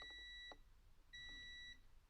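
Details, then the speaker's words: Multimeter continuity test while checking the thermal fuse of a non-starting 240 V Whirlpool/Maytag/Kenmore electric dryer: two clean, high-pitched half-second beeps with the leads touched together, whereas the open fuse gives no sound. "can hear when I put my legs together it beeps and makes a sound no sound if you're a look on the ohmmeter you would see the data was open"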